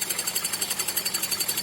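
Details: Running petrol engine after a drive; fast, even metallic ringing tick about eight a second; owner unsure whether valves or viscous fan clutch, asks whether the water pump could cause it after a belt-like squeal at startup; metallic engine knock, cause unknown.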